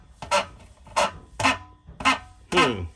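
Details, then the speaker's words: Maytag dryer about five years old, drum support roller turned by hand after removal: sharp honking squeak about twice a second from a dry, worn roller bushing; this roller turns much harder than the others, so rollers are being replaced. "I don't like that noise I'm going to take them all off"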